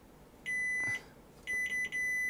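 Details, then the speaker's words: Sony Super Beta SL-HF600 Betamax VCR (711B2 deck), continuity test on the cassette-down switch: tester beep keeps cutting out instead of holding solid, showing intermittent contact; the switch contacts need cleaning. "and now let's check uh cassette down Ah that's not so good is it it's sort of working"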